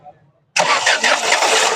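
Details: Ford Figo (2013-14 model) with misfire, low pickup and hard starting, after injector work: quick crank catches on first turn and settles into steady, even idle with no stumble; now starts on one key turn instead of two or three; normal start.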